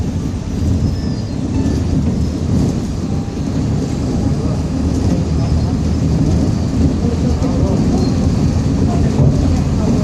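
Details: 2007 Grande Londrina 1110 Torino bus on Mercedes-Benz OF-1722M chassis, line 505, recorded 2021, onboard while cruising: deep, steady rumbling growl under the diesel drone, no clear knocks; differential growling.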